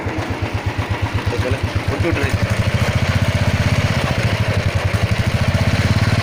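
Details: Royal Enfield single-cylinder heavy thump about four per second, quickening slightly, with loose clattery chain and engine noise riding on it; rattle source not pinned down.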